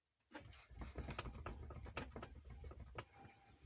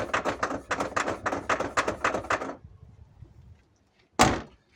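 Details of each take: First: Lada Vesta tailgate, about 5000 km, shaken by hand: only dull handling thumps, no knock after removing a flashlight left inside the door trim that had caused the knocking. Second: Lada Vesta with about 5000 km, tailgate shaken and opened giving quick hollow knocks that grew worse over bumps; a loose object rattling inside the fifth door, to be found under the trim.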